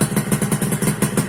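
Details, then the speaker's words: 2001 Suzuki Satria 2-stroke (Lumba) idling with its body panels refitted, after a failed on/off button in the right handlebar switch was found as the no-spark cause: crisp, even popping about six beats a second, steady pitch, no misses; normal idle. "sekarang kita sudah pasang semua body bunyinya teman-teman ini saya punya Satria lumba tahun 2001"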